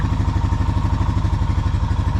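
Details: Honda (2008 Rancher 420 or 2021 CRF250F) idling just after an oil change: even, steady single-cylinder thump with a regular quick pulse and no misses or knocks. The engine sounds healthy.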